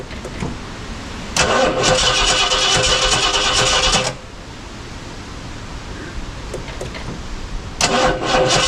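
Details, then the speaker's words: 1969 Ford Galaxie XL convertible after work in the ignition area; two bursts of starter cranking, about 2.5 seconds then a short try, engine never runs. Owner suspects his own mistake, the cap/rotor, or a poorly seated plug; it may also be out of gas. "okay well judging by that I did something wrong because that should have started"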